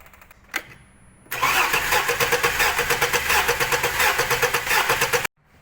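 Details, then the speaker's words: Misfiring, shaking engine during a compression test with the spark plug out, which was clean and unburnt: the starter cranks with an uneven, lopsided beat of about three pulses a second, and the gauge reads zero compression. The cylinder is dead. "بنشوف من بعد ما فحصنا كومشن وضغط محرك عم نشوف ان الكمبريشن صفر"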